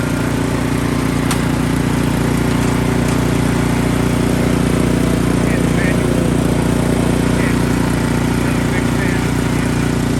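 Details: Ariens Deluxe 28 snowblower just fitted with a 369cc LCT engine swapped from an Ariens Platinum 24, replacing its 254cc engine: steady, even single-cylinder chug at constant speed with no misses, knocks or rattles; running normally.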